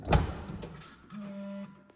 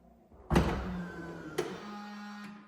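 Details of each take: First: 2020 Tesla Model S Long Range Plus trunk: thump as lid is pushed down, cinch motor hums half a second and stops without closing clunk; motor now works but latch doesn't fully close, latch needs replacing. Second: 2020 Tesla Model S Long Range Plus after replacing trunk cinch motor and latch: lid thumps shut, then a short steady motor hum pulls it down with a final click; cinch latch working properly.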